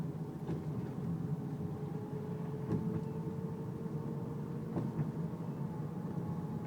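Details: Car whining when turning left or right below 10 mph, quieter at high speed; power steering fluid full, no leaks or foam, belt normal: faint steady whine rising slightly in pitch over low rumble; pump or rack suspected, unconfirmed.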